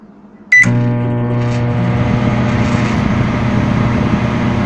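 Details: Microwave oven running after the start beep: loud, steady low buzz holding an even pitch throughout; the cause of the loud humming is not identified.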